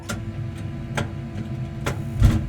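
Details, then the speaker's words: Gas tankless water heater restarted after flushing and descaling, with power and gas supply restored and a hot faucet open: sharp ticks about once a second, then a soft whoosh as the burner lights over a low steady hum, a normal ignition. "I can easily hear the burner start on this one, but yours may have a light or some other way to indicate operation."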